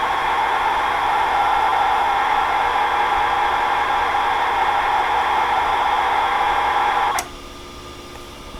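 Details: Tandy/Radio Shack CCR-82 computer cassette recorder for the TRS-80 CoCo, after repair: a steady, hissy mid-pitched warble holds evenly for about seven seconds, then cuts off; normal data loading tones, the tape loads cleanly.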